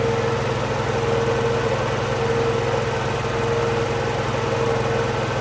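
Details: Tow-behind mott mower motor on a Cub Cadet garden tractor, after the motor install and greasing the pillar-block bearings: steady, even single-cylinder buzz at a constant pitch with no hunting or knocking, normal running.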